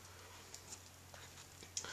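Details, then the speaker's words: Aladdin blue flame kerosene heater with a new wick of about 20 hours' use, just lit: soft scattered crackles and ticks as the wick warms up; normal startup. "you hear it kind of crackling and stuff when it starts up there but that's about what it looks like"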